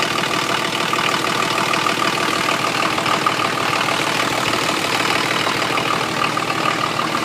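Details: 1980 International Scout II with factory Nissan SD33T turbo diesel, first run after rebuild, cold idle: heavy, sharp clatter about three knocks a second, louder than usual; owner unsure whether the cam is the cause.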